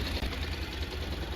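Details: Honda NC700X/NC750X twin after a valve adjustment and coolant refill, run until the fan comes on: even, quick exhaust pulses at a steady idle with no ticking or knocking; idling cleanly.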